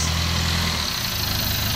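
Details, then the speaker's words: Newly assembled owner-type jeep diesel, after fixing its hard starting; steady low diesel clatter at idle, smooth and even, no misses or hunting, healthy engine needing no further spending. "Ayan so maganda ang kanyang makina wala ng kailangang gastusin pa"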